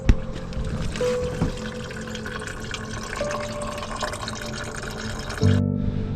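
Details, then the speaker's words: Porsche Cayenne cooling system pressure-tested at 10 PSI after refitting coolant pipes: faint steady hiss and trickle of liquid as coolant escapes; leak persists after repair. "We're at 10 PSI and I can already hear coolant leaking."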